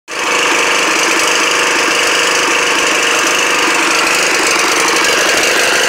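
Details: Snapper riding mower on its first start in 4 years, loud buzzy small-engine clatter with a ragged, uneven firing texture; rough running, cause not evident.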